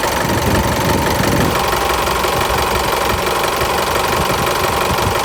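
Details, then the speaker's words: Isuzu Mu-X diesel at idle after the loose AC belt was re-tensioned (set to about 57 by feel): belt no longer flaps or swings, runs steady, no noise from the belt or AC compressor clutch. "เป็นยังไงบ้างครับแล้วนะนานๆก็จะเห็นได้ว่าตัวใส่พาเนี่ยนะครับไม่เต้นแล้วใช่ไหมครับและก็คือเขาไม่สวิงล่ะนะครับเขาคือหมุนนิ่งเลยนะมิ่งมากๆเลยและก็ไม่มีเสียงแล้วด้วยนะครับ"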